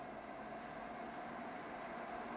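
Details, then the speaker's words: Titan 12V DC 140mm reversible roof vent fan with wireless controller, newly installed in a fifth wheel trailer roof vent, running at about 40–60% speed: quiet, steady mid-pitched whir without the earlier weird noise, no rattle; normal fan running. "so they seem to solve that problem with the weird noise that sounds really good try 60."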